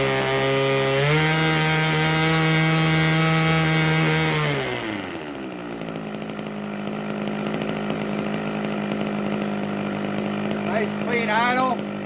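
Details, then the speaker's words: 32-year-old OS 61SF two-stroke nitro engine with muffler, static run: high buzz drops to a steady lower idle with occasional irregular pops because the mixture is set slightly rich rather than lean, and throttle response carries cleanly to the high end. "on the rich side that's what the popping is it's not smooth and lean and fadey weak"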